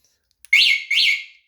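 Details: Two quick high shrill electronic chirps, each rising then falling, about half a second apart: the scooter's alarm tripping when the scooter is shaken.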